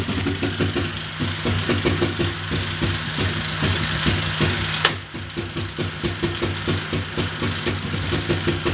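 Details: Big Bear ATV single-cylinder engine on first start after top-end rebuild (new valve seals, head machined): quick even idle, crisp regular beat, no knock, no smoke; healthy.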